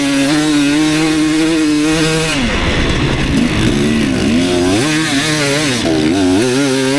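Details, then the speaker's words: 2019 KTM 250SX two-stroke, Lectron Billetron 38 Pro carb, on track: harsh metallic edge through throttle changes under heavy load at about quarter throttle; pinging the owner attributes to a lean torque jet, to be richened half a turn. "I thought I remembered it pinging and stuff when I was really high up in the throttle but actually it seems like it's uh when I'm like when it's under a heavy load but I'm only like quarter throttle"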